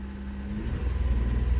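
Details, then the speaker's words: 1994 Isuzu Rodeo, MAP-sensor OBD1 petrol engine, runs very rough at idle with irregular backfiring puffs; lean condition, open loop, checked with Snap-on MT2500 scanner for integrator and block learn. "runs like absolute crap you hear it backfiring lean condition"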